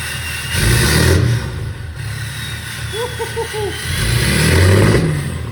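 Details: 2018 Ram 3500 6.7L Cummins diesel just deleted (DPF, DEF, catalytic converter removed), straight-pipe exhaust: loud open rumble rising in two clean rev blips and settling, no popping or leak hiss; normal revving.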